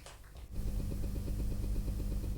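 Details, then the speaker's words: Roughly 12-year-old Dremel rotary tool: low rapid pulsing buzz for about two seconds, motor never spins up, speed display blinking; symptoms worsening over about five years, now won't run; fails to start. "it's certainly trying to start you can see there is a display for speed and it's blinking"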